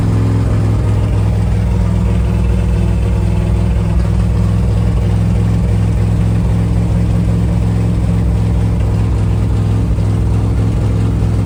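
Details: 1978 Dodge Adventurer Power Wagon, 318 V8, automatic, 4WD, ex-plow truck, on its first start in over a decade, fed from a temporary gas tank: a deep, steady V8 rumble at an even idle with no knocks or misses. It runs smoothly, with good oil pressure.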